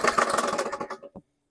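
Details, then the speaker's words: 2020 Powersmart 170cc or 2012 Toro Recycler junk lawn mower, first pull start: brief rough run with hard rapid banging before dying; owner suspects connecting rod banging. "well that sounds terrible I'm just listening to that banging maybe connecting rod banging"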